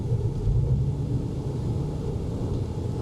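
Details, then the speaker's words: 2000 Honda Civic automatic, D16Y7, 210,000 miles, warm, after MAP sensor replacement and harness connector fix: hard launch pulls as a smooth, even low rumble with no stumble or misfire, no codes; normal acceleration. "I'm going to try to take off with some with some pep, but it might just get no traction and go nowhere. I just want to show you guys that it doesn't stumble no more."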